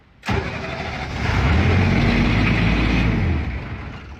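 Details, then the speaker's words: Broken military diesel generator: catches and runs a rough chug about three seconds, then dies as soon as the prime/start switch is released; owner suspects it needs 20 psi oil pressure to keep running. "So it's killing itself as soon as I let go of this."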